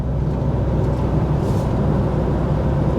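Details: VW T5.1 Transporter road test at about 40–45 mph, reported noise rising with speed: steady road and tyre rumble, no hum or growl building; bearing sounds healthy.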